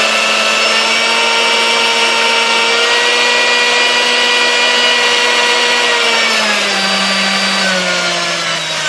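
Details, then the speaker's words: Vintage Sunbeam Mixmaster Model 1-7A after cleaning, fresh oil, new grease and replaced speed-control resistor: smooth steady motor whine dropping in pitch as speed is turned down, slight skipping only at lowest speed; runs much better, normal running. "the very lowest speed it's still got a little bit of skipping in it and stuff but um it's uh it sounds much better"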